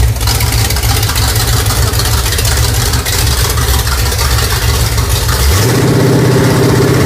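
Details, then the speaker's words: New Pontiac budget stroker crate engine, 6X heads, Performer RPM intake, mild flat tappet cam, camshaft already broken in: deep, even V8 idle with slight lope settling smoothly after start, no knocks or ticks; healthy. "Runs pretty good. It's just a mild build, so we think he'll like it."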